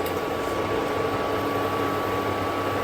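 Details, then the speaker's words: Induction cooktop with a pan placed and detected: the beeping stops, leaving a steady, quiet cooling-fan whir with a faint high hum, working normally. "आता मी हे ठेवलं बिपिंगचा आवाज बंद झाला जो background मध्ये आवाज आहे तो याच्या फॅनचा आवाज आहे"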